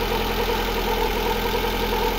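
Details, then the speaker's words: Lada Granta engine after repair for ringing and knocking, reassembly complete: steady, even idle with smooth low hum, no ringing or knocking; engine running normally. "Так ну что сборка практически завершена сейчас Ну и наконец-то он заработал"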